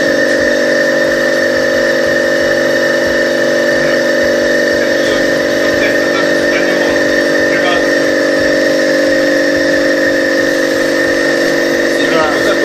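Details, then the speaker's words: Copeland DKJ-75 refrigeration compressor test after repair (cylinders sleeved, valve plate and valves, connecting rods, piston rings, crankshaft ground), no-load current 0.8 A: under load a steady smooth mechanical drone, no knocks or rattles; running normally. "Давай под нагрузкой. Ну что, работает, смотри, отлично."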